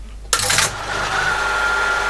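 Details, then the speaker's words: ASR33 teletype powered up in local mode during restoration: a sharp clatter at switch-on settles into an even mechanical whir with a faint steady tone; it starts normally and the motor runs smoothly. "starts off as normal okay so that's working"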